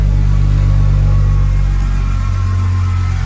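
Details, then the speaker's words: Car after installing a Quicker Racing 525 Hellcat low-pressure fuel pump kit with PTFE -6 fuel lines, running cold and smoking a little: deep steady rumble with no misses, stumbles or fuel-side whine; engine running cleanly. "Alright, so I think I got something working here."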